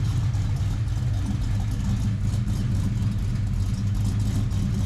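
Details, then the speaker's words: Foxbody Mustang V8 on factory computer at idle, hood open: deep steady even rumble with no knocks or misses, somewhat noisy but healthy-sounding. "But we'll get to that car sounds healthy, right?"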